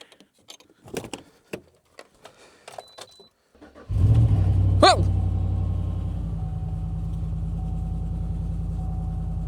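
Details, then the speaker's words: Old GMC Yukon non-running after sitting a year, starting after fixing the fuel pump control module fuse: keys jingle, short crank, quick catch and flare, then steady deep idle; loud because the exhaust was cut off. "Okay, it starts. I just want to try it. I didn't expect that to happen. So, that fuel pump control module fuse that I fixed and replaced got it to fire up. It It's literally running."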